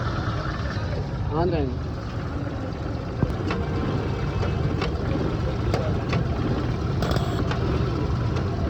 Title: Kompressor AC Bunyi Tek Tek Berisik AC Compressor Making Clicking Noise?